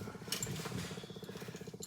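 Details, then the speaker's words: Scuba gear before a dive: rapid, even chatter like a fast rattle under some hiss in the gas path; no bubbles in soapy-water leak check and it holds pressure; owner suspects a hose or the weight of the attached light, source not found. "I mean if it's holding it should be okay but um that's the sound it's making yeah I hear the chatter from here"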